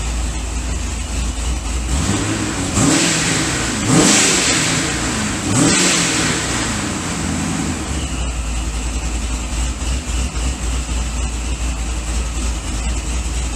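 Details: Supercharged C6 Corvette V8 after piston replacement and new heads: steady idle with three quick, clean throttle blips that rise and fall smoothly. It revs freely; oil pressure good, still needs a tune.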